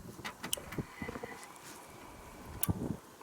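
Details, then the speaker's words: GMC truck, newly rewired replacement fuel pump relay: crisp single click as the ignition key turns on, the relay energizing normally before the fuel pump kicks on. "i'm going to put the key in the ignition and you listen you'll hear a happy click"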